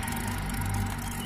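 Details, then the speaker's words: Yamaha Mio carbureted scooter: steady idle with a rough, gritty grind under the engine hum, seemingly from the CVT side; suspected source the kick-starter (kelaker) area, to be confirmed on teardown. Grinding noise. "Sedangkan kalau bunyi untuk serong-serongnya ini, ya,"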